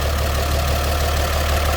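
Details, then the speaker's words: 1954 GMC 250 pickup with a 248 inline six, single carb and 4-speed manual, at idle: deep, steady low rumble with an even beat and no knocks or misses; sounds healthy. "It sounds as you'd expect. Inline 6 from the 50s."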